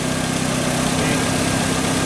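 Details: Fiat Linea that had a noise on cold start, restarted after cooling (not fully cold, hot ambient): smooth, even idle with a steady low hum and no ticking or rattle; the noise has gone.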